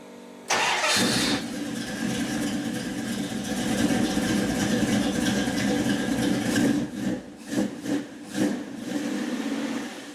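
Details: 1976 Dodge Dart V8 on its current Holley 780 vacuum-secondary carburetor, before the Edelbrock swap: quick crank, clean catch, then a steady, even idle with a few crisp throttle blips; normal start and idle.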